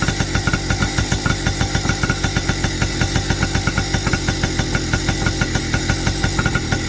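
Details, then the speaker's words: Freshly rebuilt 2002 Yamaha PW80 two-stroke (new crankshaft, main bearings, jug, head, piston/rings, rebuilt carb) idling to warm up for a fair test: quick, even popping beat with no misses, surges or knocks; normal idle. Earlier it ran backwards, cause unknown. "Okay, I don't know if you can hear me, but we're going to let that idle for a little while till it gets warm so that it'll be a fair test."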